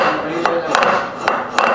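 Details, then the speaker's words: Motorcycle rear wheel, sharp irregular hammer-like khat-khat knocks on clutch and braking; cush drive (coupling) rubbers worn and cut so sprocket carrier hits wheel directly, alloy wheel cracked at all four fins; fix is replacing coupling rubbers. "बस because of ये रबड़ cut गई तो सीधी hit, एक हथौड़े की चोट इस पे लग रही थी डायरेक्ट, तो ये वाली आवाज़ थी"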